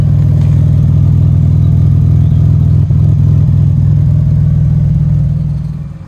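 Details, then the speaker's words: Peugeot 605 SV24 V6 after exhaust line repair using a recycled old motorcycle silencer. Deep, loud, even rumble without puffing or ticking leaks: normal exhaust note, louder but sealed. "Bon, elle fera un peu plus de bruit, mais au moins elle est réparée."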